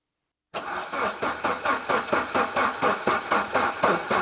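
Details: Saab 900 Turbo Commander parked under a tarp 10+ years, first start attempt after adding fuel: starter turns it over in steady beats, about two a second, no catch or rise in revs, cranks but won't start.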